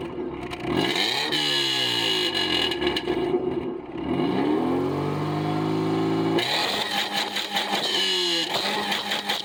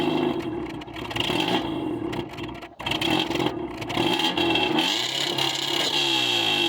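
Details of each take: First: Subaru after thoroughly cleaning mass airflow sensor with brake clean: engine catches and settles into steady, even idle with light revs, no stumbling or hunting; now running right. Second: Subaru after mud ingestion, MAF sensor cleaned and dirty throttle body cleaned: engine runs unevenly, surging and stumbling with rattly note, but now idles where it wouldn't before; owner suspects throttle position sensor.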